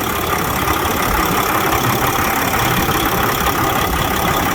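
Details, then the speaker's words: 2007 Freightliner with Detroit Series 60 14L diesel, over a year after backyard rebuild, driven daily; even steady idle clatter under loud cooling fan roar as air pressure not yet built up, no knocks or misses: normal idle. "See, I hit the fuel on it. Air ain't built up, so the fan's still gonna be running on it."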